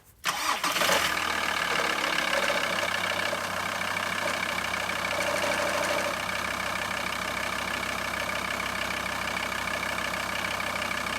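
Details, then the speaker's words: VW T4 van idling after start: uneven light clicking knock from the power steering pump, coming and going, with belt visibly vibrating badly; before pump replacement. "So that's the sound it's been making, and it comes and goes, but you can also visually see on the belt where it was vibrating quite badly."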